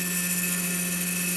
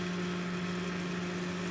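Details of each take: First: Chinese laser cutter stepper motor moving the head at 40 mm/s: steady droning hum near 190 Hz with a thin whine, lots of noise and vibration; resonance, possibly microstepping holding the motor back. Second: Chinese laser cutter gantry stepper motor at about 80 mm/s, after resonance at 40–70 mm/s. A steady, even hum with a clean constant tone and no rattle; smooth stepper motion with little vibration.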